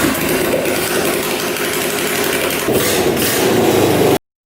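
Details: Suzuki Quadzilla quad with swapped KZ 750 engine after reversing the crossed pickup coil wires: loud, steady roar with slight rev lift near the end, then cuts out; runs evenly with no misfire.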